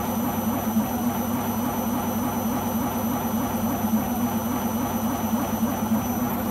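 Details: Beko washing machine, described as on its last legs, during spin: heavy, steady roar with rough droning hum throughout, sounding badly worn; owner suspects the rubber behind the drum, cause not confirmed.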